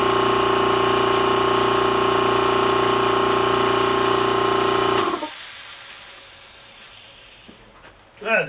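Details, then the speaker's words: Vacuum pump for bagging a composite motor tube sealed with bagging tape onto a cardboard tube: hard steady drone with fixed whine that never pulls down, then cuts off; big leak in the bag seal. "sound good at all can you hear oh i know there's a big leak right there there's a leak right there"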